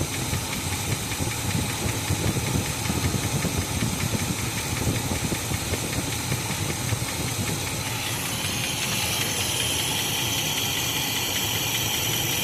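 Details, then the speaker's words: 1986 K5 Blazer with newer carb and welded exhaust plugs, timing at about four degrees (target eight), vacuum advance not yet connected: rough, clattery idle with a loud growing hiss, unidentified noise. "I don't know if it's running. I don't know what that sound is."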